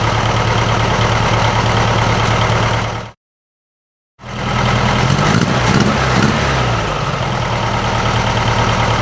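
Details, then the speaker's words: 1956 VW Beetle with a 009 distributor just timed, possibly a little too advanced, still warming up: uneven, lumpy idle stumbling about three times a second. Owner suspects a cylinder not firing or a cam; a dead cylinder at low rpm was later found. "It's still a bit shaky. I'm thinking it's either one of the cylinders isn't firing, or maybe this thing has a cam in it."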